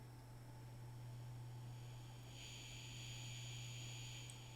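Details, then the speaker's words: Ferguson 3T27 cassette recorder on 6 V bench supply, after cleaning fix for hum at louder volumes, playing at low volume: quiet steady motor hum with faint hiss, buzz gone, playback normal. "Well, I can hear motor hum, but I can't hear the buzz. So maybe that's done the trick."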